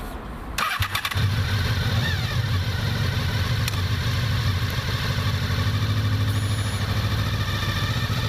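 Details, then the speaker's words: Honda VFR 800 motorcycle with a DIY-installed ABS, mic mounted directly on the ABS modulator: a sharp clatter of short buzzing pulses as the bike starts moving, then steady engine drone; the ABS pump's normal self-diagnosis. "Я разместил микрофон к камере непосредственно на блоке ABS-модулятора для того, чтобы было слышно звук его работы. И сопровождать это картинкой, что происходит с колесом в момент торможения на скользкой поверхности. А вот так проходит самодиагностика при начале движения."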